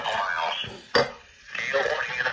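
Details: Cobra 25 LTD WX CB radio on a weather band, before cleaning: scratchy crackling static in bursts with a sharp crack from a dirty volume pot.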